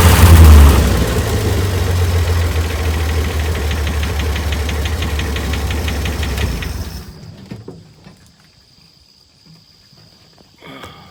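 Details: 1965 Chevy van inline six, started after sitting about 50 years, with oil additives poured into the fuel and the throttle worked by hand: low, steady, even idle rumble for several seconds before shutoff, smoking a little; sounds healthy.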